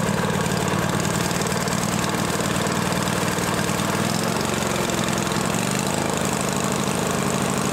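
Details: John Deere L-Series lawn tractor running after a deck spindle replacement, a dry whirring rumble beneath the steady engine: both deck belt-guide idler pulley bearings are still noisy and need replacing.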